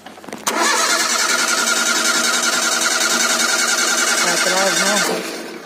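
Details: Ford Zetec Rocam engine (Fiesta, Ka, EcoSport) at cold start. It catches, then a quick rattling tick of about three per second sits over the idle. Suspected hydraulic tensioner/valvetrain noise; dirt was found in an oil orifice.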